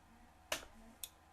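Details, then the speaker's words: Omron H3CA timer relay set to 0.5 second after resoldering bad solder joints: two crisp clicks half a second apart, pulling in and releasing on time; normal relay click. "So it's 0.5 of a second. On, click. It's working perfectly. It just had a bad solder connection."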